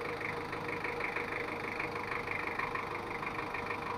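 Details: Ford Ranger 2.5 diesel double cab after repair of post-overhaul compression leak, power drop, oil seepage and odd noise, adjusted and road-tested: quiet even diesel clatter at steady idle, about three beats per second, no stumble or knock. Normal idle.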